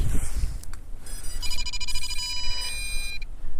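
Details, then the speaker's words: MJX Bugs 3 Mini brushless drone carrying an old RunCam, on power-up with battery pushed in: a cluster of high, steady electronic tones rings about two seconds then stops; an unfamiliar start-up sound never heard before, cause unknown. "I made a difference I've never heard that sound before"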